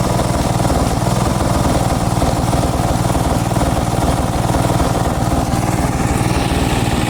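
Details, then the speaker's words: Briggs & Stratton single-cylinder engine on a Craftsman garden tractor, the day after a Nikki carburetor rebuild: steady but slightly uneven, lumpy idle, not running perfectly, though it mowed about 800 m² on little fuel with plenty of power. "Okay. So, it's the next day and uh It's not running perfect, I know that."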